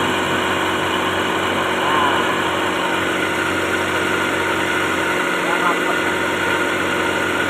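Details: Toyota Starlet (kotak) at idle during a timing belt check; the pulley shows no play and sits centered, belt judged okay: even, constant idle hum with a faint steady belt whirr and no slap, chirp or flutter; healthy.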